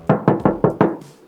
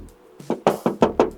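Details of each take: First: Project car bought by the shop, showing past accident damage: five quick dull thuds tapping the panel, no metallic ring, filler ("cement") under paint versus solid steel elsewhere; body filler in panel. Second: Tapping the body panels of a used project car checking for past accident repair: six crisp, ringing knocks about a fifth of a second apart, bright and solid; original metal panel, no filler.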